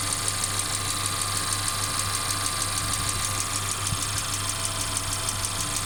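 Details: Mercedes CLA 250 at steady idle: fast, light, uneven clacking ticking over the top, coming and going; intermittent engine clacking, source not pinned down; car also stutters accelerating after long slow driving.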